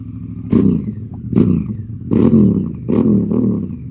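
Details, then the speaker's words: Honda CRF Africa Twin, unstarted for two months but fires straight up: four sharp throttle blips, each a harsh bark settling to idle; exhaust unusually loud and open because the silencer baffle was blown out. "Nala just coughed out her baffle, and I instantly noticed that the bike was sounding considerably louder"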